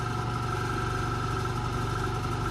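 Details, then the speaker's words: Chevrolet heater blower with suspected connection problem: steady whirring hum with a fine rapid flutter at constant speed, nearly stalling on third speed; owner suspects the blower motor is near the end of its life, not confirmed. "Et quand je mets la troisième vitesse, j'ai quasiment plus rien. Il tourne vraiment plus qu'au ralenti, voire même s'arrêter."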